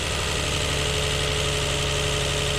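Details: 1999-05 Lexus IS200 inline-six idling with steady low thumping lope, code P0301 cylinder 1 misfire; swap tests found ignition coil pack number one dead.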